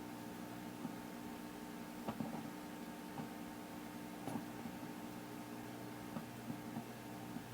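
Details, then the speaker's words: Zenith K421W AM-FM radio bought as not working, on AM at full volume on a known station frequency: faint hiss, hum and scratchy crackles, no station. The volume control is dirty; no reception. "you hear a little something in there but it's not oh not a station for sure so I'm going to turn this down let's and it's awfully scratchy"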